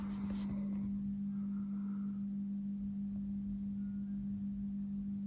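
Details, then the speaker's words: Akai GX-75 Mark 1 tape deck, unserviced for about 20 years, powered up on the bench before repair: faint steady low hum at one pitch as the motor spins and the capstans turn; motor running, condition not yet judged. "First of all, let's check what do we have, if it's alive. Oh, motor is spinning."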